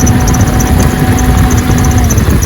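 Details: Jeep Cherokee XJ 4.0 at idle before repair: a faint thin whir and light chatter on top of the idle. Worn idler pulley bearing, confirmed and fixed by replacing the idler pulley.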